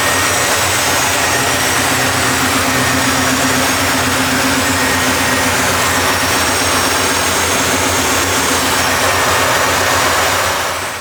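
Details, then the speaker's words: 1973 Impala 406 small-block Chevy V8 with fuel injection, after replacing a collapsed lifter and upgrading AFR head guide plates, not yet fully warm: smooth even idle, no ticking or lifter tapping; sounds healthy. "So far, this thing nice and quiet up under the hood. So I haven't heard the lifter start tapping yet, but it's not quite up to temperature."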